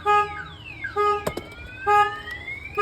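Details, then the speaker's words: 2004 GMC 2500 HD with a newly installed Viper alarm: loud siren with rising and falling sweeps about once a second, set off when the door was opened while armed. "let's see if somebody was to open the door not only one silence [Music] so now it's even louder"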